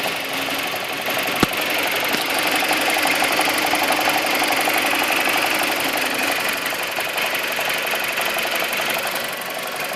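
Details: 2002 BMW 318i (N42) petrol engine at 128,000 km, just bought: it idles too low with a fast, fairly even metallic rattle from the engine. The owner asks what is causing it.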